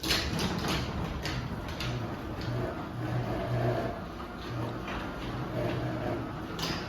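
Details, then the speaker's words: Craftsman 139.53964SRT belt-drive garage door opener closing the door: steady low motor hum with a faint rough grinding underneath, a known slight grinding this opener does while otherwise running smoothly; cause not identified. "We'll run it down, you'll see the little bit of grinding that this thing does."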